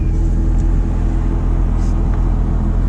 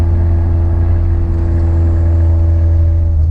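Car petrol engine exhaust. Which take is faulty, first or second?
second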